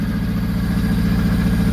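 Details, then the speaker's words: 1974 Honda Civic 1.5 L four-cylinder, first run of the project, on choke: quick, even firing pulses with a steady low note, no knocks or misses, good compression; healthy idle. "there's a lot of compression the engine sounds healthy the engine sounds healthy enough guys"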